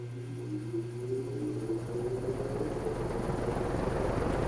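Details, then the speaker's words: Restored Markel box fan, startup from off to high recorded from the back: soft hum starts, a rising tone climbs while air rush swells evenly; clean, healthy spin-up. "let you hear the startup sound from the back because i do think and spatsbear agrees this is one of the coolest startup sounds ever"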